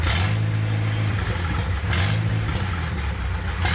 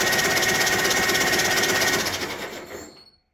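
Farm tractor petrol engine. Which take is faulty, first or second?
first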